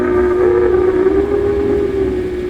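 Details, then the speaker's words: Zenith H725 AM/FM tube radio (slug-tuned FM, ratio detector), on dim bulb before capacitor replacement: loud, harsh, buzzy steady-pitch distortion, growing weak and fading; suspected bad vacuum tube or leaking capacitor throwing bias off, unconfirmed. "you can hear how distorted it is. So probably it's a vacuum tube, but it could be a leaking capacitor throwing the bias off on something also."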